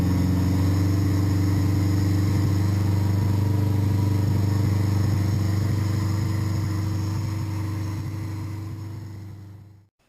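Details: 1981 Honda GoldWing flat-four with custom manifold, VW carburetor and electrified fuel shut-off valve, primed: smooth, steady low hum at even speed, winding down quietly at shutoff; runs properly.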